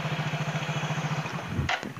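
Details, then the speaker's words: Yamaha Mio J scooter with the rough, con-rod-like knocking gone: smooth, even putter about thirteen beats a second with no knocking or rattle; clean, normal idle. "Ya udah keren Bro suaranya udah keren udah kayak suara motor kalau tadi suaranya kayak mesin.rx"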